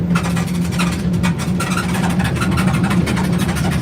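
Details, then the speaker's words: Undisclosed test truck driven laps on a test track to find faults: loose, irregular clattering ticks over low road drone, a rattle from something under the floor panel, cause not yet confirmed. "Yep, it rattles. Just Yeah. something under the floor panel. We'll get that sorted out."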